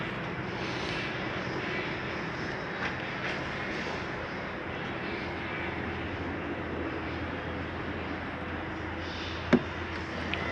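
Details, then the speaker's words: Flagstaff T21DMHW RV roof lift retracting after pressing retract: steady, even motor drone with no catching, grinding or labouring as the top lowers slowly; normal roof lift motor operation. "And hit retract. Everything's going to start coming down nice and slow for you."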